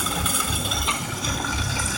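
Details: 2003 BMW 325i idling: loud steady hiss with uneven low thumps underneath; started a day ago, engine stumbles and stalls unless gas pedal held; something leaking, cause not pinned down.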